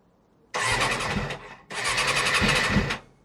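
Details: Suzuki RF600R motorcycle, first start attempt after a spring oil change with fresh oil, choke on and fuel on: two short bursts of starter whirring, each about a second, and the engine never catches. A hard start, cause not yet known.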